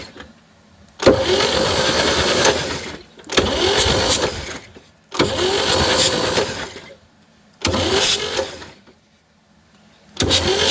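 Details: 1960 Chevy C10 with a 235 engine, revived after sitting about 40 years, on a starter with a swapped solenoid and a dummy switch. Five two-second bursts of strong, even cranking come without firing. Normal starter cranking; a later compression test found stuck valves.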